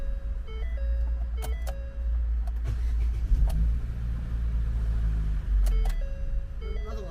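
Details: Ford with a no-start despite a new battery, restarted after throttle body cleaning and starter refit with battery cable reconnected: deep, even rumble holds steady under a few dash chimes; engine starts and idles smoothly.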